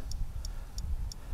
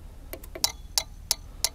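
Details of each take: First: Bobcat Delphi common-rail injector on a bench test kit at 5,000 psi: only faint, evenly spaced solenoid ticks with no spray burst. The injector is not firing and is stuck closed. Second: Bobcat common rail injector on a bench tester set to the Denso pattern after a 4000 psi leak test: crisp, evenly spaced clicks about three a second, louder than the Delphi; healthy injector firing, frequency adjustable.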